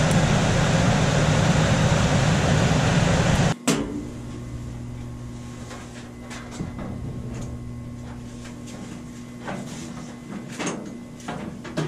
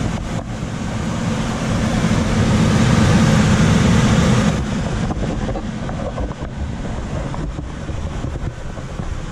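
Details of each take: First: Coleman DGAX056BDTA manufactured-home furnace, constant-torque ECM blower after 24-volt tap moved from high to a lower (yellow) setting: loud rushing airflow drops to much softer steady hum with a few light clicks; normal quiet blower. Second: Coleman DGAX056BDTA manufactured-home furnace, constant-torque ECM blower with 24-volt taps set to high: loud rushing air roar swells a few seconds then eases to lower hum when main blower runs; excessive blower noise from high speed tap, fix is lowering the speed.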